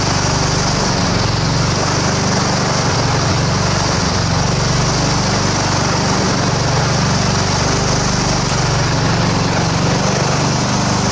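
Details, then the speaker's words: Walk-behind self-propelled lawn mower at spring start-up after winter storage and tune-up, cold at about 40°F, run on choke longer: slow, even single-cylinder idle with no misses or knocks. Running normally. "and it idles nice and slowly because it's cold but it's running yeah I just had to leave it on choke for a little bit longer because it's about 40 degrees out here"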